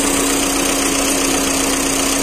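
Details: Volkswagen Vento 1.6 TDI diesel, after replacing faulty cylinder 2 injector (misfire code P0202, heavy shaking): idles smoothly and evenly with no misfire stumble or knock; scan shows no faults.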